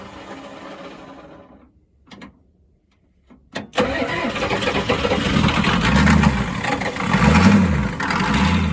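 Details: 1992 Ford F-250 7.3 diesel, 5-speed 4WD, supposedly rebuilt engine, first start after sitting since 2004, started with no ether. Quiet cranking, a pause, then a steady, even idle with a slight surge. Normal idle.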